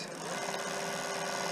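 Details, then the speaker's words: Bafang 1000W 48V mid-drive e-bike motor after replacing the slipping nylon clutch cog's internal one-way roller bearing, run on the throttle with the cover slightly open: a smooth, even whir with no grinding; the slipping is fixed. "And you can leave a slight gap so you can see the cog to see how it's working. Yep, it all seems to be fixed."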